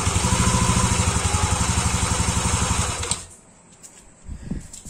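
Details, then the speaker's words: Yamaha motorcycle after replacing weak cam chain tensioner that caused sewing-machine-like rattle; steady even putter at idle with no ticking or rattle, then switched off; noise gone, normal idle. "alhamdulillahirobbilalamin aslinya suara berisiknya enggak ada nih"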